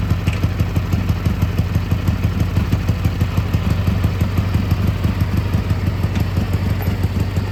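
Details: Gravely G-16 twin (late 80s–90s, owner unsure of year), revived after sitting a few years, running on its own fuel while driving: crisp, evenly spaced low thumps about three per second, no clatter or stumble; runs pretty good, smokes slightly, normal running.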